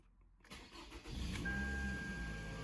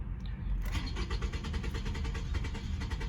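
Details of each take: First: Toyota Camry with P0171 lean code and intermittent no-start/cut-out: first crank after replacing the fuel pump and PCV hose gives a brief crank, quick catch and smooth steady idle. A clean start; the fuel pump appears to have been the fault. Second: 2007–2011 Toyota Camry with P0171 lean code: steady rapid cranking, then it catches briefly and runs rough, sometimes starting and sometimes cutting right off; fuel pump suspected. Crank then stall.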